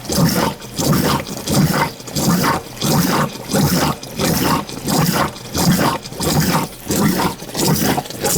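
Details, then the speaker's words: Basement condensate pump beside a heat pump runs continuously with a wet, churning roar and clicking. The float switch is stuck so the pump never shuts off; pump needs replacing, and the noise is unrelated to the heat pump. "ain't shutting off. That's what the clicking noise is. It's nothing to do with the heat."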